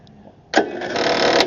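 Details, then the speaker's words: 2008 Craftsman YS4500 lawn tractor non-starter, spark already confirmed: after a quiet pause the starter spins the engine at an even, steady rhythm with no hesitation; finger over plug hole confirms good compression while cranking. "We got compression. So, that's good. So, number one, we got spark. Number two, we got compression."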